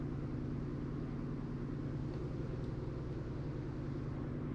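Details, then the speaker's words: 2022 Genesis GV70 3.5 L petrol, 25,000 km, code P0301: low uneven idle with a lumpy stumbling beat from cylinder 1 misfire; short-term fuel trim bank one up to 26%. "right now it's still misfiring right now."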